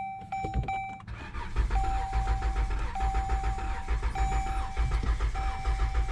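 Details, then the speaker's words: Stranded Dodge: the starter cranks steadily at about one beat a second with no catch or firing. It cranks but won't start; a communication issue between the throttle position sensors is suspected. "yeah i thought that was a long shot at starting i think there really is some sort of communication issue between the throttle position sensors"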